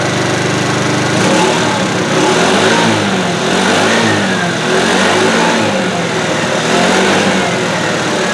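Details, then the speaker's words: 2013 TaoTao Pony 50 scooter (red), small engine revving up and settling cleanly in repeated blips, with no misfire or knock; sounds good. "It sounds good. Sounds real good."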